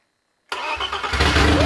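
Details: BMW E30 325i M20 engine, first start after fitting a ported, polished and valve-lapped replacement AMC cylinder head. It cranks and catches after a pause, then runs loud and uneven with a ragged, lumpy idle; cause unknown.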